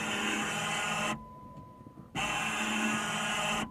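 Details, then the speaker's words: Jeep Wrangler JK wiper motor, recorded up close before the wiper assembly is replaced: harsh buzzing whir with a thin high whine in roughly one-second bursts. Fails when very cold and worked again after thawing with a heat gun; failing, temperature-sensitive wiper motor. "it should not sound like that so like i said i noticed that it was sounding that way there's been a few days that i didn't have wipers"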